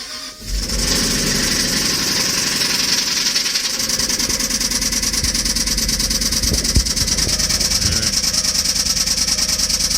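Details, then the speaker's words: Jaguar engine with internal knock, idling right after an oil change with Dura-Lube added as a last resort: a steady, fast ticking knock about three per second over the running noise; not good. "this is how it sounds right now not good so let that oil run for a while see how it sounds later"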